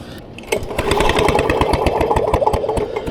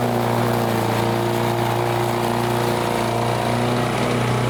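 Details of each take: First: Vintage Lawn Boy Gold Series 4.5hp two-stroke mower, curbside find: uneven recoil pulls chug with no firing; zero spark even with known-good plug and wire, failed magneto suspected, magneto ground wire to be removed. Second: Vintage Lawn Boy Gold Series 4.5hp two-stroke curbside mower, repaired and repainted: a steady, even buzz at constant speed without misses or surging. It runs normally.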